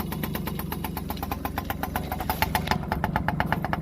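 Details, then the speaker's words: Yamaha PW50 two-stroke, sat 5 years, aftermarket carb and cables: uneven, burbling idle with a lumpy popping beat; running rich as a too-short choke cable kept the choke always on and the throttle cable held the oil pump half on. "the other problem was the choke cable that goes up under there was too short as well so the choke was always on no matter what you did"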